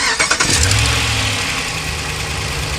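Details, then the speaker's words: Hemi engine on a cold start: cranks, catches and settles into a fast idle with a light tick, loudest when cold, from an exhaust manifold leak at a broken exhaust stud rather than valvetrain. "uh it mainly happened when it's cold so I'm gonna let the engine cool off a little bit and then let y'all hear when I went out and first started oh it was loud so it's the exhaust stu"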